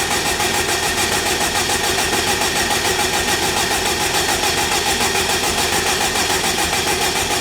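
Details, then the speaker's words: Forged, turbocharged Honda K20 in a Wildcat buggy, first start attempt with fresh oil and an ECU plug unplugged so it can't fire: steady, even starter cranking with no firing, to build oil pressure until the oil light goes out. Normal cranking. "let's try and crank it bars has just put some oil in it so I'm going to unplug one at plugs on ECU so it can't fire up and I'm going to crank it till oil poite goes out just so we've got oil pressure"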